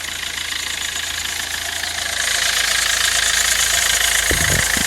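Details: 2007 Kia Rio CRDi diesel, 270,000 km, idling: bright metallic rattle about three beats a second over the idle; owner suspects timing chain noise, not confirmed.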